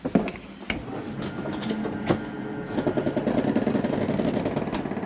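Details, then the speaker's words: 2022 Catalina 333RETS travel trailer bedroom slide retracting: steady motor hum with quick irregular clicking about three per second at end of travel; normal safety slip mechanism, not a fault. "I want you to hear that noise. Don't worry, that's nothing going on with your slide. What it is the slide allowing itself to come in unimpeded, not go past that point. It's just a safety mechani"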